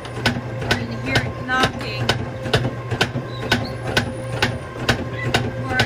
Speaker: So we have a bad roller over here on lane